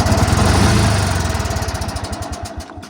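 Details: 1985 riding mower, after cleaning and tuning, started to see if it smooths out: uneven chugging at about four beats a second, slowing and fading as it runs down; struggling start, won't settle.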